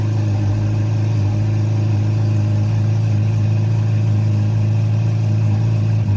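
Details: Honda CB700SC Nighthawk inline-four after a carb cleaning, with stock jetting 35/115, air screws 2 turns out, fresh non-ethanol fuel, 4-into-1 exhaust, no airbox and throttle cables disconnected. Smooth, even idle with no misses or rattles. Normal idle.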